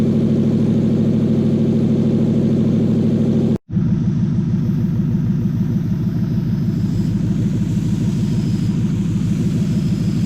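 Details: Toyota 1UZ-FE V8 in a Lexus SC400/Soarer on a 40/40/40 ECU with a brand new conversion loom; smooth, even V8 idle burble with steady regular firing pulses and no misses or knocks, running normally.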